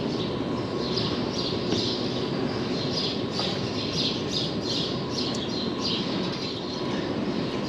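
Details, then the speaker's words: Dairy free-stall barn automatic manure scraper after repair, anchor re-bolted into concrete and chain retightened, running under a heavy manure backlog: continuous even chain-drive rumble, no clunks, birds overhead; working normally. "Alright, seems to be working so far."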